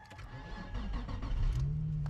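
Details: Manual Nissan 350Z, starting once the clutch starter switch is pressed (missing rubber stopper suspected for no-crank/battery drain): short crank catches within a second, settles into steady low idle; clean normal start.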